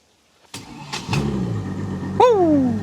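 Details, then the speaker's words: Boat engine after breakdown offshore, restarted with fresh spark plugs (old ones about 50 hours) and flush water on: brief crank, catches at once and runs steady; a clean, healthy start. "Fires right up. We're back in action."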